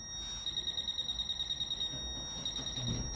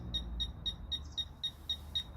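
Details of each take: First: Fisher F-Pulse pinpointer air test with no obstacle: quick pulsing high beep about three a second with the probe several centimetres off the coin; the contact field is too wide and at this distance the pinpointer cannot tell where the object is. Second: Fisher F-Pulse pinpointer air test, no obstacle between target and probe, moved closer to target; sharp high beeps about four a second, quickening slightly, signalling a nearby target.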